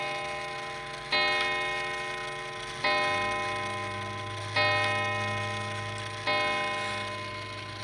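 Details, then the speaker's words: Mechanical clock before oiling: slow, weak, uneven ticking about one beat every 1.7 seconds; dry pivots, starting to wear oval and previously graphited, drag the movement. Light oil is the fix. "see how it's running real slow it's not picking is it very well that's just because there's very limited amount of oil in that that's working properly"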